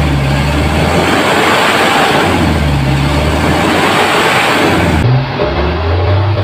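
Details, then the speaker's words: Mitsubishi Canter 4M50 diesel truck that would not start, after repair, revved up: a strong, steady roar holding speed cleanly, engine now running well. "Okay na ang andar ng makina RPM tayo dito at kita niyo at napakinggan na malakas na kaya"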